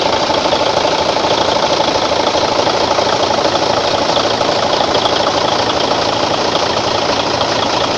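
A steady, even diesel clatter at a constant pace with no misses or knocks: a healthy truck engine idling smoothly.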